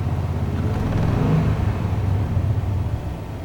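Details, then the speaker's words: 1998 Chevy Vortec restarted after about 10 years, Passlock reset, new tank and fuel pump; owner suspects return-line fuel leak, radiator leak; low deep idle, uneven lumpy beat, no clear misfire pattern; good oil pressure; rough idle. "And it's got a little bit of it's a little bit rough, but it's running."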